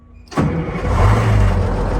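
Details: Retired 1979 fire truck, two-stroke Detroit diesel, sat for quite a while, after fresh battery installed: catches instantly after a brief crank and settles into a strong, even, deep running note with no misses; normal start.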